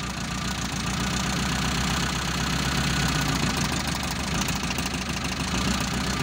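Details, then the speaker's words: Mitsubishi Colt T120 SS fuel-injected engine with a misfire, cylinder-balance test with one plug wire pulled: idle turns lumpy and uneven, about three or four stumbles a second, so that cylinder was firing. "Mari kita mulai dari kabel busi dulu, teman-teman. Ada perubahan. Itu artinya masih berfungsi, teman-teman."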